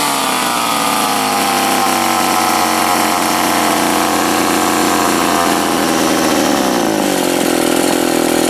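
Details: Old Remington SL-11 A two-stroke chainsaw after repair, reassembled and cranked; high steady buzzing that sags slightly near the end, running evenly with no misfire or stumbling.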